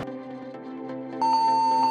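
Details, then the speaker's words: Acer laptop with one RAM stick: continuous steady high beep on startup as Windows loads, not in BIOS; cause not confirmed. "तो दोस्तों, हमारे पास है आज Acer का एक laptop, इसमें आ रही है स्टार्ट में बीप की आवाज़।"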